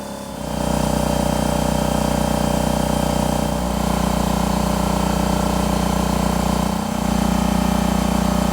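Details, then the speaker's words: Husky 33-gallon C331H air compressor after replacing the faulty pressure switch: steady even motor drone with a regular pump beat around three per second. It runs normally and cuts off at the proper PSI. "Well, there you saw it. This thing cut off as it should when it reached the proper PSI."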